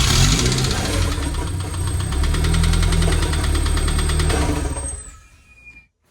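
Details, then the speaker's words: K24 engine, metal bits found in the oil pan, owner rules out flywheel or misaligned clutch disc: loud hard knock about four beats a second while running until shutdown; serious internal knock, cause unknown after teardown. "I mean, this is very, very loud. It is not just like a little rattle. I mean, it is a knock."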